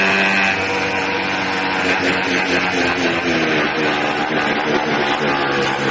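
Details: 80cc small two-stroke engine buzzing loud and ragged at a high, unsteady pitch, as if pulling in extra air; owner suspects a carburetor problem with an air leak at the intake manifold, not confirmed.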